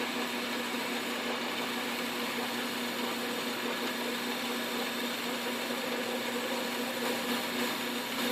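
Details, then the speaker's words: Lathe turning a South Bend 9x24 pulley, cooled and locked back onto the arbor so it no longer slips on the shaft: steady even hum and whir, no knocking or surging; normal running. "so much better when it's not moving and slipping on the shaft"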